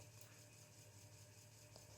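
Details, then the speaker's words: Commodore 1541 MKII floppy drive on C64 with new power supply, loading Robocod after a few tries: quiet steady hum of spinning disk with faint ticking as it reads, expected to be slow over serial; normal loading. "can hear the drive spinning and buzzing I think being as a SAS over cereal it's going to be very very slow"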